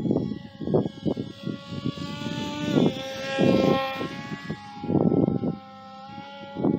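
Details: Mk-V RC biplane after rebuild, in flight: brushless motor whine surging and dropping in rough uneven pulses like a nitro engine; failing brushless motor.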